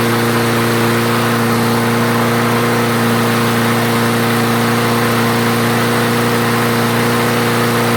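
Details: Craftsman self-propelled mower after the clogged carburetor main jet was cleared, restarted with fresh fuel and three primes: steady, even engine note, no hunting, surging or stumbling, holding speed; normal running.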